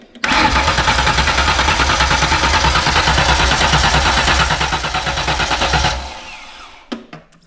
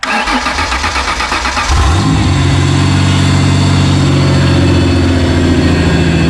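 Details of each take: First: 1995 Ford Explorer with stock engine: steady starter cranking about three beats a second for six seconds without catching; owner suspects a compression issue, comparing cranking with and without spark plugs. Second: 1995 Ford Explorer on 38-inch tires, started after reassembly to fix a running problem: the starter whirs briefly, and the engine catches cleanly and settles into a smooth, even idle with a steady low rumble; normal start and idle.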